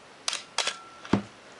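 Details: Canon AE-1 Program 35mm SLR (1981), lens removed, fired at about 1/2 s: two crisp, even clicks about half a second apart, mirror up then shutter close; healthy slow-speed firing.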